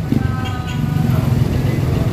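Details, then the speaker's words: Toyota Avanza with black smoke and fuel smell, engine revved: raised, slightly lumpy rev with deep throb, no clear knock; rich running suspected, mechanic thinks diesel-like fuel was put in, cause unconfirmed. "Yung Toyota Avanza guys, so ang problema black smoke. Okay, may black smoke siya lumalabas."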